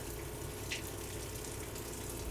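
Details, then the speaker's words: Vintage camper freshwater supply after the pump primed and air was purged from the line: a steady, even rush of water with no sputtering or air bursts. The faucet flows normally. "So, that's running really good."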